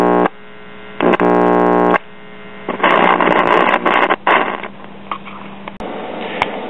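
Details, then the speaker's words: Symphonic 78 rpm record player's one-tube amplifier on first power-up: a steady low mains hum with some crackle through the speaker. The tube lights and the amplifier works, while the turntable motor is seized. "tube is lighting [Music] up amplifier's working but then again there's not much to go wrong WR [Music] here that amplifier is pretty stout for a one tube [Music]"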